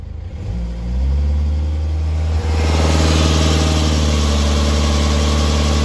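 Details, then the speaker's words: 2011 BMW 320d E90 N47 diesel, 135 kW: normal at idle, then a fine, quick periodic rattle from the back of the engine when held near 2000 rpm, an early sign of timing chain wear, with chains due within about 5,000-10,000 km. "as you can hear there's a rattling noise at 2000 rpm and that's the start of that problem"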